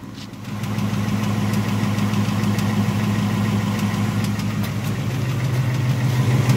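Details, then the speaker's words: Ford direct-injection engine of about 460 hp that has not run in two weeks: a light, quick tick of roughly three per second rides over a steady idle and grows more noticeable as it runs; source unconfirmed. "there's the tick car hasn't run in two weeks and she's ticking away now look at that [Music] [Music] wow you can really hear it ticking"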